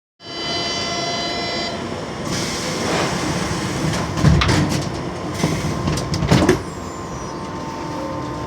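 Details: Metro train H22: high electric whine, then several heavy thumps as the doors try to close and fail; door closing fault with abnormal motor noise.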